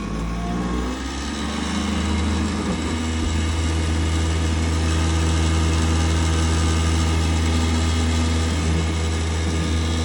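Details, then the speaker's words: Worcester Bosch 30 SI combi boiler (GC 473185), heard with the case off: loud, steady mechanical roar and deep droning hum from the worn-out fan. The boiler still gave heating and hot water, but the fan had failed and needed replacing. "Safe to say I think that fan's had it."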